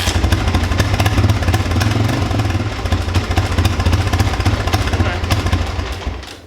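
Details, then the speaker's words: Cold-blooded tractor, Cummins diesel with a leaking injection pump and no power, which burns a bit at start-up. It backfired and is run on choke. Uneven, lumpy putter with ragged firing that fades at the end. Engine struggling to stay running. "Oh, backfired. Won't start when I want to show you. I'm going to have to choke on you."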